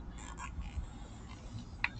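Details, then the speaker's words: Andersen full-view storm door plastic screw cover pressed along its edge with a carpenter pencil gives two sharp pops as it seats, showing it is clicking in. Screw cover snapping in properly. "Run it all the way down, and you can hear that pop. That's a good noise. That means it's clicking in."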